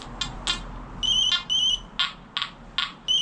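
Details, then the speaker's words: Nokta Anfibio Multi detector, 7-inch concentric coil, stock 3-tone program at 90 gain: high tones break into harsh crackling bursts, on the verge of overload over a shallow bottle cap. "It's overloading on this bottle cap, right? You hear that crackling? That's just on the verge of that overload tone coming through, right?"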